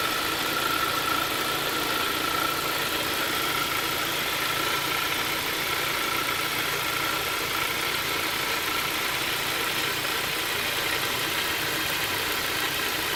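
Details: Steady engine idle under a hissy, high-pitched rush, with a faint thin whistle in the first few seconds; weird engine sound, cause unclear. Abnormal engine noise at idle.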